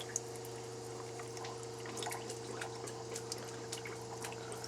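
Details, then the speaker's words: Camper shower with new Surflo 4008 pump running: thin uneven trickle with faint drips over a steady pump hum. Low water pressure. "let's see back to a freaking trickle again it's pumping but not real real great"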